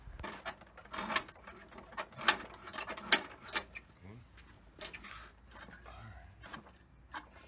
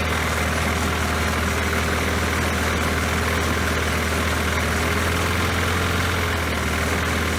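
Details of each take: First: Poulan Pro mower with a 190cc Briggs & Stratton engine that had sat unused: primer works, but recoil pulls whir and rattle with no catch, sputter or smoke; cranks but won't fire, and the spark plug gets checked next. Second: Poulan Pro mower that had been sitting, after refitting the forgotten throttle spring: steady even drone with firm low hum, no misses or surging; runs smoothly.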